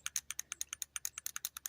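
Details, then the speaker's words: Carburetor from a 1985 EZ-GO golf cart, possibly run without mixed fuel, shaken by hand: crisp light clicking about eight times a second from a loose orifice tube rattling inside, indicating a carburetor problem. "that's that orifice tube rattling so we definitely have a carburetor problem"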